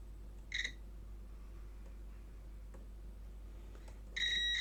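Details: Logic3 TX101 soundbar with a no-power fault and missing burnt component, unplugged, fuse checked with a multimeter. Two short high-pitched beeps over a quiet room; continuity is good, so the fuse is intact.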